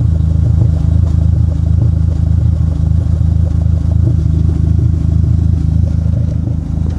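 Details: Dodge SRT-4 with code P0304 (cylinder 4 misfire), lumpy uneven idle with a deep exhaust beat stumbling about three times a second; plugs, wires, injectors and coil pack already replaced, intake manifold gasket suspected.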